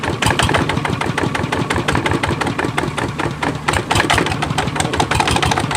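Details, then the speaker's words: Kubota ZT155 single-cylinder diesel walk-behind tractor engine at idle, running fast with even clatter. Hard thumps come from the loose wooden stand it shakes on; the engine itself runs normally. "อันนี้เดินเบานะครับเนี่ยนี่ผมให้ฟังเสียงถ้าสั่นก็ขออภัยนะครับโอโหสุดยอด"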